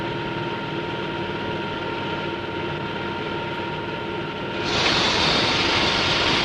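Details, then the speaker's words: Model propeller at constant rpm and low ambient pressure: steady hiss with faint tones, then louder crackling rush as cavitation forms on blade faces and in tip vortices. "The pressure is low and the propeller RPM is constant. Notice the cavitation on the blade faces as well as in the tip vortices."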